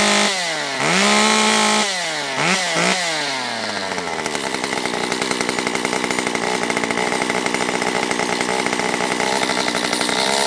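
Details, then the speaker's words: Stihl MS194T chainsaw, previously a no-start with a fuel problem, carburetor richened on low and high: after blips it settles into a steady, even high-speed buzz, warmed up and oiling: normal running. "Alright, that's up to temp, and it is oiling, so I think we're ready for a little test."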